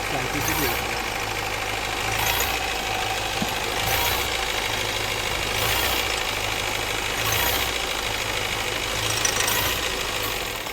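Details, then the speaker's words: Mahindra Marazzo common-rail diesel: with light throttle rpm races and a sharp tak-tak knock rides over idle as revs rise and fall, normal after ignition cycle. "हम जब गाड़ी में हल्का सा accelerator देते हैं तो आरपीएम बहुत ज्यादा फास्ट हो जाते हैं और इंजन में से टक टक टक टक इस टाइप का साउंड आने लग जाता है"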